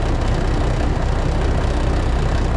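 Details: Classic White Freightliner diesel truck, sat in the cold and plugged in overnight, started with one spray of ether, just after the cold start: deep, steady rumble with an even beat, no knock or miss; runs normally.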